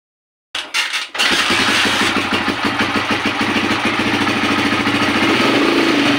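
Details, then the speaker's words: Honda TMX155 CDI motorcycle that is hard to start despite all parts reportedly being replaced: after cranking it catches and runs ragged, sputtering, backfiring and stumbling before dying. "Mahirap siyang paandarin pag umandar naman Ayun ah pumupugak pugak tapos ah nagba-back fire mamamatay na"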